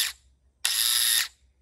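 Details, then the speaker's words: Starter removed from a Yamaha Grizzly 550 ATV, bench-tested with jumper cables: it spins in a short, high-pitched, rough burst, cuts out, then screeches again; it had been frozen up and is binding, so it is being replaced. "Now you see this one ain't, there it is, it's trying. But hear that racket it's making?"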